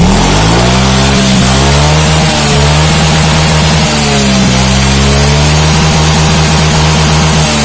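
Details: Yamaha Mio J scooter runs loud and rough, revs rising and falling with a harsh clatter. The mechanic suspects a worn cylinder and piston rings, possibly from late oil changes, with thin exhaust smoke and oil consumption noted.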